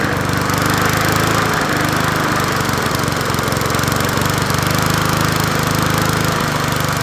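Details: Old Murray 20" push mower #20201D, missing its gas tank, running with a substitute air filter: a loud, steady speed with a rough, uneven pulsing beat. The crankshaft needs straightening (bent crankshaft).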